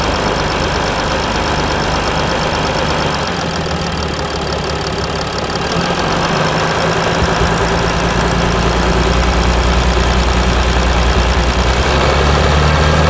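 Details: Mercedes E320 CDI S211, 3.2 V6 diesel 224hp, 250,000 km, DPF and catalyst removed, cold start after a week; loud uneven lumpy idle around three pulses a second; rough idle, cause unknown.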